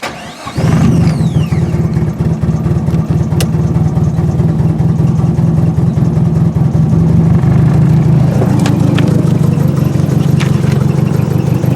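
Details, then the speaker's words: Nissan 240 with CA engine after a street-drift crash, starting up: it settles into a loud, shaky idle with loose rattles. The engine is vibrating on its mounts because one engine mount ripped apart and one side of the urethane transmission crossmember bushing tore. No engine damage. "That noise you heard was just the engine itself vibrating on the engine mounts. And obviously one of them actually broke and ripped itself apart."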